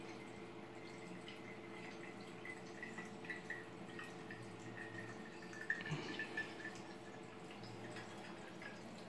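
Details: Freshly filled custom PC water-cooling loop (Intel Core i9 9900K, 2x GTX 1080 Ti SLI, Cougar Panzer Max case) just started: soft even pump hum under irregular gurgles and drips as air purges, no leaks seen yet.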